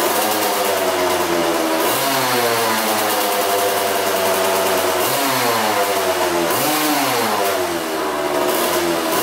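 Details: Old Kawasaki two-stroke dirt bike that had sat outside, on 40:1 premix with a new fuel line and an aftermarket carb: a crisp buzz revving up and dropping back cleanly, with no stumbling. It runs strong despite a coolant leak. Normal running and revving.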